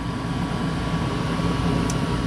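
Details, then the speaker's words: Goodman gas furnace that would not heat, after replacing a bad gas valve that wasn't opening: heat established, steady whoosh of airflow over a faint hum, no scraping or rumble. Normal furnace operation. "Got heat. So we got lift off."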